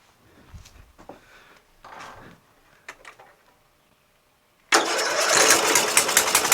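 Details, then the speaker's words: Murray LT widebody lawn tractor, Briggs 12.5HP flathead, with fuel now flowing: small single catches at once into an even, steady run with no misses; runs fine. "let me try that magneto wire again I don't think it's gonna work though but how about it started ran stayed running sounds ok"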